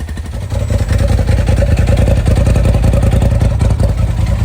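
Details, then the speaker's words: Polaris RZR XP Turbo S running again after replacing a stuck-open fuel injector that dumped fuel out the muffler; fresh oil to clear fuel dilution. Strong, even engine note rising and falling with throttle, no misfire. Normal revving. "And there we go. We're running again."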